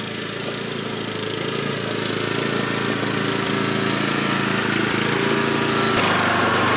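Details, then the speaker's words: MTD Gold lawn tractor, first new aftermarket carburetor, high-speed jet adjusted to remove surging, run warm around the yard: steady, even high-speed buzz with no hunting or surging. Runs smoothly. "all right this is running a lot smoother now"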